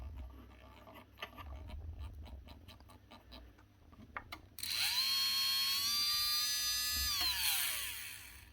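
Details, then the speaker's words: 2024 Makita DBO480 cordless 5-inch velcro sander that stopped working after a drop, run on a bench power supply up to 4 A: faint clicks, then a sluggish whir up to a high whine and run-down; struggles to start, brushes suspected not sitting right. "I think this thing's had a drop. brushes inside just do not seem to be sitting exactly right."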